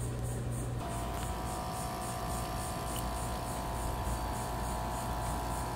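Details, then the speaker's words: Dometic RV rooftop air conditioner, cooling but not blowing air; fan motor extremely hot. The compressor hums and groans with no fan whoosh and the fan not spinning. Suspected bad capacitor or fan motor. "you can hear the compressor is running you can hear it groaning but the fan is not spinning so what we need to do is see if it's a capacitor or if our fan motor is bad"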